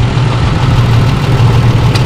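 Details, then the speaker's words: 2005 Holden Rodeo (owner also says 2008), misfire fixed; engine still cold, idle set to 900 rpm; steady, even idle with no stumble, cylinder-by-cylinder check confirms all six cylinders now firing: normal idle. "shaking see okay test again just again on this one number three uh sorry number six shaking yes sinking yes shaking yes that means six cylinder are working now"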